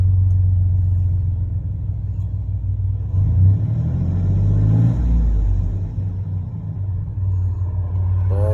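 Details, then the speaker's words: 1996 Chevy 1500 work truck, 4.3 V6, after replacing a failed mass air flow sensor (read 0.01 constantly, caused start-and-die): low, even idle rumble holding steady with no stumble; fixed, check engine light still to clear. "But there it is. She's fixed. I do have to clear the check engine light."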